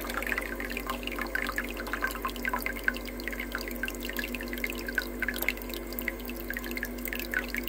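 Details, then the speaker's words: Ice maker after repair attempt: low steady pump hum with constant trickling and dripping water over the ice tray; pump now circulating water properly, normal. "See, now it pumps better. Now I can see the water is running properly."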